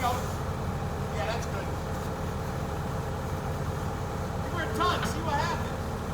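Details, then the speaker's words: Yale forklift, four-cylinder Continental flathead on propane, running after sitting many years (since 2014, earlier 2001): low steady chugging idle with a few clicks, no knocks or misses; running normally. "Four-cylinder, propane engine. I think it's got a Continental, I think, in it, Cody. Yeah, flathead four."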